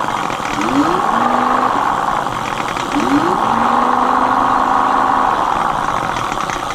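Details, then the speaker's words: Mate X 20x4 fat-tyre e-bike geared hub motor after regreasing: spins up in bursts with rising gear whine and rough growl; still noisy but less so, owner suspects too little grease. "So it's still noisy, but it's not as bad, is it? As you can tell. I'm thinking, should I take it apart and put more grease on it?"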